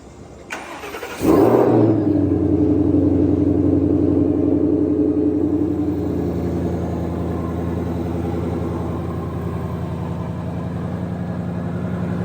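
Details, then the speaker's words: 2020-2022 Shelby GT500 (S550 Mustang) cold start just after PCM replacement and Ford calibration flash, code P0315 crankshaft variation not learned: starter catches quickly, engine settles into an even fast idle that slowly drops while warming toward 176°F; sounds healthy. "Sounds healthy."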